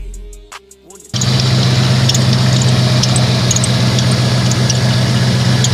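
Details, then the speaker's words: 1996 Jeep Grand Cherokee V8 after serpentine/drive belt replacement with an A/C bypass belt: brief crank, then a steady even idle with no belt squeal or chirp. "I'm gonna go start it and listen for any squeaks final handle squeaks and a job well done"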